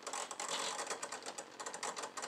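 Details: Hitec HS-7955TG digital servo on a Sky Masters F4 sitting on its side on the bench: fast irregular clicking chatter with thin buzz as servo hunts at centre; owner sees no binding, asks if normal; noise disappears when plane is turned upright.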